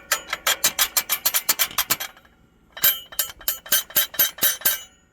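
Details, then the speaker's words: International 4700 truck (DT466E): transmission-mounted parking brake bands fitted with too large a gap at the plate, so the loose band slaps the plate, giving quick bright metal-on-metal clinking about five per second, heard constantly while driving. "pueden este ruido tú lo escuchas todo el tiempo mientras va guiando lindo está esto"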